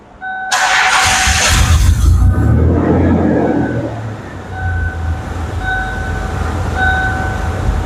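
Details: 1990s Ford Explorer/Ranger that would not start without starting fluid: catches and settles into a lumpy, unsteady, hunting idle, rich and rough; caused by a large vacuum leak; rough running from vacuum leak.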